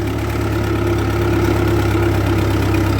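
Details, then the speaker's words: 1948 Ford 8N tractor pulling uphill in third gear at part throttle, with oil pressure reasonable. Steady low drone with an even beat and no knocking or stumbling. Normal running. "see if it'll pull it in third yeah no worries at all power oil pressure is reasonable"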